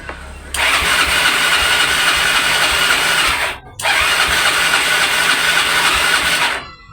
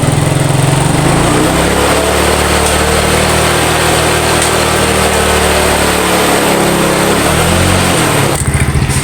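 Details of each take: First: Yamaha Mio scooter that won't start, tested on both kick starter and electric starter: two bursts of fast, light, even cranking with no firing; engine spins freely, no start from lost compression. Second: Yamaha Mio scooter after compression-loss repair and spark plug refitted: small single buzzes at a fairly steady fast idle with no misfire, brief blip near the end; normal running, some smoke afterward.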